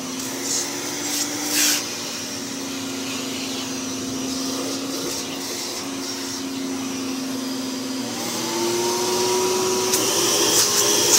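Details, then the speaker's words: V H2O Turbo water-filter canister vacuum with a 4-speed motor, running from speed one up to max: a steady, even motor hum under a rush of air, with pitch stepping up as speed and suction increase; normal running. "you turn it up, the suction increases. Max power."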